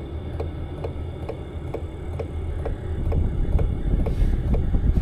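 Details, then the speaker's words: Chinese Smart Heater (Sirocco/Webasto-type) diesel air heater fitted in an Opel Vivaro van, already warm at 110°, switched to minimum P0.1: lowest fan speed with soft steady hum and slowest pump tick, about three per second, lowering fuel and watt use; normal. "और आप पंप को भी सुन सकते हैं, सबसे धीमा पंप आवृत्ति. क्या आपने सुना कि यह कैसे घट गया?"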